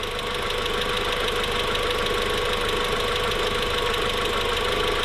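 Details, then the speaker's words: VW MK4 at first startup after the build, idling steadily at 850–900 rpm with no check engine light: even idle with a light fast injector tick, not lifter tick, and no hunting or odd knocks; healthy. "yeah this is this sounds great this sounds like a mark four"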